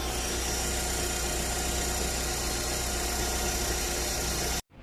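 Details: 1.4 Fire engine car at idle with a Metal Leve oil filter fitted: steady harsh whine like a worn bearing or steering box; belts and injectors checked, whine traced to the vibrating oil filter, to be replaced with a Vega filter.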